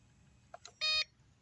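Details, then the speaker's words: Homemade off-grid solar test station, 12 V battery dropping low under about 288 W: turning on a second bulb brings one sharp high beep as the inverter overloads, shows a red light and shuts off; voltage recovers to 13.7 V. "and it shut it off you see the red light on the inverter so basically let shut it back let's shut it off cuz it turned back on it was an overload"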